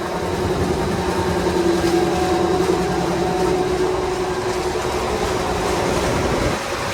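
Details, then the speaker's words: Daikin commercial air handler after the blower motor and first bearing were replaced and the belts refitted: a loud steady rumble with a droning tone and heavy vibration; a remaining failing blower bearing, before its replacement. "Still got a noise."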